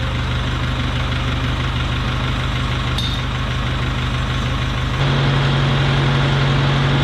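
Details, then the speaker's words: Farmall Cub tractor after a carburetor rebuild and a new steel brake-line fuel line with inline filter, choke off, a little throttle. Steady, even putter with no misses that picks up smoothly to a faster idle; runs well, though plugs need replacing. "beautiful oh it's built a better field well my friends that was a success we got a carburetor all looking good rebuilt running good"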